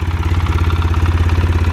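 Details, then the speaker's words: 2005 Polaris Sportsman 700 at idle after exhaust patch and new springs/bushing, still running rough: light, rapid ticking chatter on a lumpy beat, pointing to the top end. Top-end chatter at idle, cause suspected, not confirmed. "i don't know if you guys hear that chatter but i don't like the sound of that at all and i have a really bad feeling"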